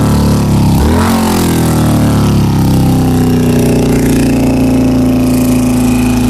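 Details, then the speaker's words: 2000 Honda CBR600, carbureted, poor throttle response and hard starting, sprayed with carb cleaner: engine blips then hangs at a high, uneven idle; vacuum leak at leaking carburetor boots, to be replaced with new boots. "looks like the boots are all leaking and here where the carburetor is or the airbox just this one the rest those to be okay"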